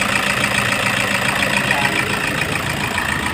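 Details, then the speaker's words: Toyota HiAce 2KD diesel with the injector codes entered. It settles into a steady, even idle clatter with no stumble or heavy knock and is running properly. "Okay na siya guys ganda na ung takbo niya pwede na siyang itin ulit"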